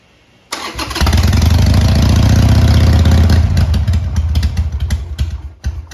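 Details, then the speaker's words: Harley-Davidson Sportster 883 after re-jetting the carb on the bike, started cold on choke; previously it would not fire without choke. Quick crank, then a deep lumpy V-twin rumble running steadily. "Okay, well, it runs."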